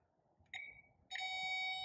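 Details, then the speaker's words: 1946 Willys Jeep CJ2A starter diagnosis, Power Probe connected to battery; two high beeps, a chirp then a sustained tone signalling a good ground; starter was clicking without turning. "okay I grabbed a Power Probe H it up to the battery you definitely have a ground"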